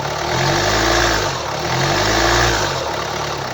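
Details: 2011 Hyundai ix35 (F5D14), 2.0 diesel D4HA, 184 PS, 180,999 km, idling: the idle swells and fades about every 1.5 seconds in a slow, rhythmic surge. Idle surging attributed to a faulty engine control unit.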